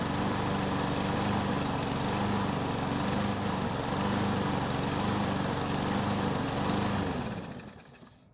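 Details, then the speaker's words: Free Yard Machines mower that wouldn't start, primed with gasoline to test carb versus tank fuel, stays running with a steady beat that surges slightly in speed before shutting down; owner thinks a carb cleaning might fix it. "so surprisingly this time is stayed running which is pretty amazing considering its condition so it was surging a bit where the engine doesn't want to keep a constant speed but I think a good carb cleaning might just fix that"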